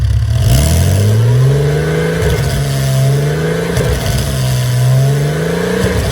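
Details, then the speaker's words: Porsche Boxster 986 with eBay aftermarket exhaust, just after dB killer motorcycle inserts were screwed into the tailpipes to cut highway drone; recorded from a short distance while revved, two clean blips with a raspier note and far less drone; quieter exhaust. "that sounds different. It's got more of like a raspiness to it, which is good, I think. What the biggest difference is that drone."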